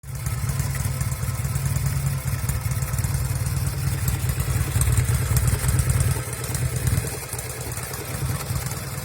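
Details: 1974 Norton Commando 850 twin fitted with un-muted silencers and a tighter header clamp seal: loud, lumpy idle with occasional dropped beats. Intermittent misfire heard from the left side, which also shows obvious smoke.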